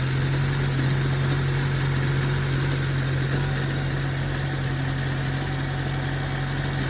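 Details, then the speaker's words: Nissan Tiida with LPG system, first cold start after long standing, needing 4-5 seconds cranking; compression and plugs fine: low idle drone with shaky, unstable beat about three per second, engine choking; rough cold idle traced to a leaking LPG reducer. "і тоді двигун як-неяк запускався, його трусило, він так захльобувався трошки, працював нестабільно."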